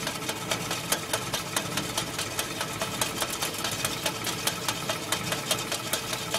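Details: Willys MB at idle: steady light metallic rattle about twice per second, clutch rattle.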